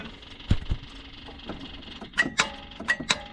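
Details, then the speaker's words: Kubota with intermittent no-start, starter struck to make it respond: sharp single clicks and metallic taps but the engine never turns over, not enough power; owner suspects the starter relay (AM107421), not confirmed. "it's clicking, and it is trying to shoot out, but there's just not enough power."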